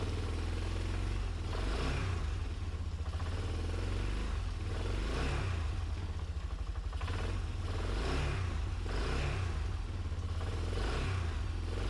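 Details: Wilderness Trail 250 four-wheeler, just started on choke with WD40 in the cylinder: small single revs up and drops back in even swells about every 1.5 seconds, pulling cleanly. Normal revving.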